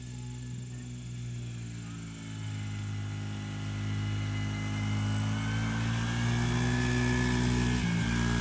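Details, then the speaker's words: Yamaha YFZ50 after removing restrictions and tuning the carburetor, spark arrestor refitted, now 2–3 mph faster: small single revs up smoothly at full throttle, tone climbing clean and even with no stumble or popping. "I'll be curious to see how it compares with the little Can-Am, but you can hear it getting in high RPM and when he really gets on that throttle."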